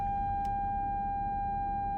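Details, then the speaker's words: Nissan Armada front parking sensor: single steady high-pitched beep held continuously, falsely alerting on dirt or road lines when stopped; muted only by pressing the button. "when you're on the road though and you stop it will pick up every line at a stop sign or a stop light until you be careful there's a line so"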